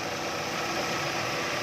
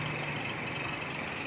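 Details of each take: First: 2010 Chevrolet Captiva petrol at 310,249 km, after replacing a belt tensioner whose fatigued spring let the belt slacken and make noise. Steady, even, smooth idle hum with no chirp or rattle from the belt area. Normal idle. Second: 2010 Chevrolet Captiva petrol at idle, 310,249 km: a steady high squeal rides over the engine from the belt tensioner pulley; the weakened tensioner spring lets the belt go slack and slip, and the tensioner is to be replaced.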